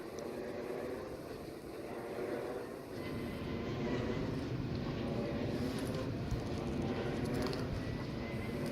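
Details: Vensys VE 112: a continuous low droning rumble with a grainy rough edge and a few scattered clicks; the source of the abnormal running noise is not pinned down. Finding: abnormal noise.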